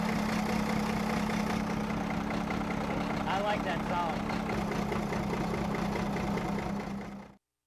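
Engine catches and settles into a steady, even idle of about 214 beats a minute with a deep rumble; sounds healthy.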